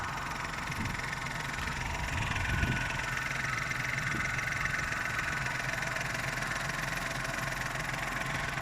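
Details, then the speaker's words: Vauxhall Corsa C Ecotec engine at idle, owned since 2004: light, fast metallic chittering over an otherwise steady idle, the timing chain rattle; engine otherwise running quite well. "so we'll start her up and you can hear the timing chain yes yes insert usual joke uh we'll just stop her there"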